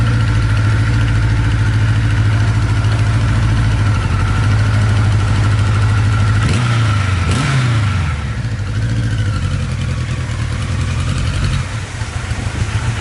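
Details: 1982 Kawasaki KZ1000 LTD, 9,000 original miles, freshly sorted after museum display: smooth steady idle, a quick throttle blip rising and falling cleanly, then an even idle; healthy.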